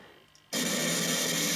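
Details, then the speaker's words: Faulty eBay SNK Neo Geo AES with Universe BIOS and badly rewired BIOS chip, game running: harsh buzzing crackly sound output with no clear tones; garbled audio, cause unknown. "sound is messed up, but I mean, other than that, it seems to be working fine. I'll just mute this because that's kind of annoying."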